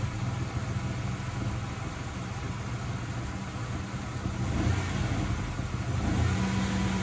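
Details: 1995 Ford Ranger 4.0 manual RWD: low, uneven idle that lopes and stumbles; owner suspects the idle valve, which cleaning didn't help, worse restarting hot.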